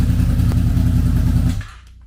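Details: Wrecked 2006 Honda VFR800 V4 auction motorcycle, first start with broken inner clutch basket, no clutch, clutch push rod out so oil leaks at slave cylinder seal; busy even beat for about 1.5 seconds then clean cutoff, fires and runs properly.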